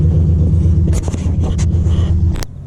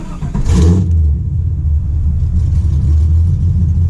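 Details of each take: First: 1996 Impala SS with LS1 swap, after battery disconnect for IAC relearn: low lumpy idle wavering unevenly for two seconds, then engine cuts out; unstable idle; relearn failed. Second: 1996 Impala SS with LS1 swap, after re-plumbing the deleted PCV vacuum line: short blip, then deep, steady V8 idle holding even speed on its own, no hunting or hissing; owner unsure whether IAC relearned or PCV vacuum fixed it; normal idle.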